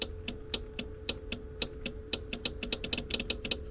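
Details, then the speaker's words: 1950 Chevy Deluxe rewired from 6 to 12 volts with new fuse panel, key on: horn relay clicks sharply, about four or five a second, but the horns stay silent. "we got to have the key on for power to get to the horn relay. It's sending power to the horns. You hear that clicking?"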